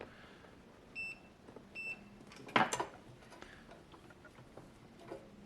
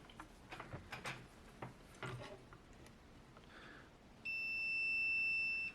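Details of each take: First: TEVO 2 kW infrared heater SNBHTR, no power: continuity tester gives two sharp high beeps straight across a diode, likely a zener making the chip's supply rail; diode shorted. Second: TEVO 2 kW infrared heater SNBHTR, unresponsive: probe clicks then one steady high beep about a second and a half across the circuit fuse; continuity, fuse intact.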